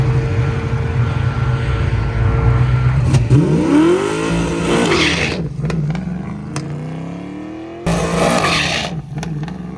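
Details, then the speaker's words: Race car engine at full throttle on a drag pass revs hard, then pops and stumbles as the note drops out; fuel suspected to be sloshing away from the fuel pump, causing starvation, not confirmed. "And here we go again with the fuel slloshing away from the fuel pump. You can hear this thing popping."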